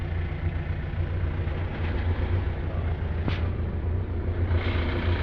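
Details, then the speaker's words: Pickup engine running after switching to Jet1 Extreme Engine Oil, which the owner says removed the smoke and cleaned up the sound: low, steady rumble with an even beat, no knocks or rattles; normal running. "diba, malinis na ngayon ang kanyang tunog. So yon, talaga napakaganda, no, ng resulta ng sasakyan."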